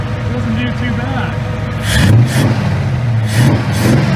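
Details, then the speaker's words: Ford 289 V8 fitted with a lawn mower carburetor, choke used, about 20 inHg vacuum: smooth, even idle around 700 RPM with two clean throttle blips returning promptly; normal idle. "it's almost annoying how well it runs idling at about 700 RPM or so it's just some classic Thunderhead 289 action"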